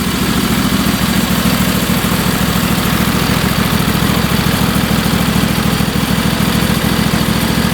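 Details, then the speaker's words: Craftsman twin-cylinder lawn tractor, earlier popping and not starting because its spark plugs were left out, now runs after the plugs are fitted. A steady, even chuff at idle with no popping, running normally with the engine covers off. "at least I know the engine will run this was not an issue that was my fault by transporting it"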